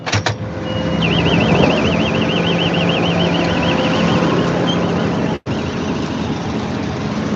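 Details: Combine harvester cutting oilseed rape, backing up to check a jammed knife that turned out to have a missing section: steady warbling electronic beep over diesel rumble; normal reversing alarm.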